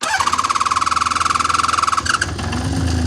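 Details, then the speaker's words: 1979 Honda CBX 1000 inline six, about 10,000 miles, apparently restored, well serviced with carburettors set up nicely; cold start on the button with clutch pulled in and fuel tap on reserve. Quick even cranking about two seconds, fires promptly, settles to smooth steady idle; normal cold start. "There we are. That's pretty good for a CD000. So the last owners obviously looked after it very well, kept it serviced. All the carburetor's been set up really nicely."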